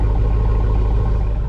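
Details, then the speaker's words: 2500 Suburban V8 after about 5 minutes of running, idling near 800 rpm following alternator replacement, voltage now just over 14; steady, even rumble with no misfire or shaking: normal idle. "sounds like a healthy 60 that's that's super awesome hopefully hopefully we just fixed the problem if that's the case this was easy so now we have like a normal idle just under 1,000 maybe 800 RPMs and uh so far no issues"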